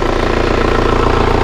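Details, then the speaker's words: Kia Carnival diesel being checked before purchase, idling just after start with the radiator cap open to check for compression bubbles, before warm-up. Even, steady clatter with no misses or knocks; judged smooth and healthy, comparable to an Innova. Normal idle. "Nah bisa didengarkan ya suara Carnival diesel Ini Tiang masih bagus itu banyak segar halus setara dengan Innova"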